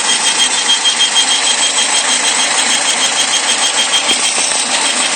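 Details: 2001 Saturn SL manual idling with a thin, steady high whistle over hissy engine and soft pulse; started while driving, persists with belt removed, seems from intake manifold area.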